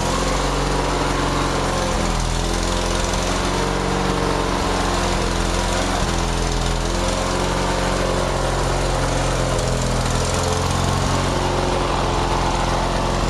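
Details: Craftsman DYT4000 lawn tractor, just fully fixed up, runs at a steady, even pace with no misses, surging or knocks. It sounds healthy.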